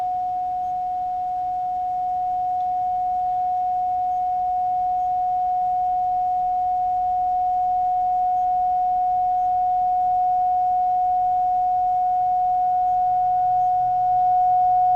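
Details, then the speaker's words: Philco 41-280 field coil speaker on bench, field supply raised to about 180 V DC with audio generator tone: clean steady tone swelling louder as coil energizes; speaker fine despite unexplained low DC resistance. "it sounds like this speaker is actually uh going to be just fine"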